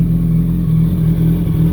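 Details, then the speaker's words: 2007 Yamaha R1 at idle after replacing the worn clutch basket gear holding the discs: smooth steady idle with the clutch pulled in, no grinding; previously ground when clutch pulled. "To show you guys, here, I'll push on the clutch. No noise. Push on the clutch. No noise."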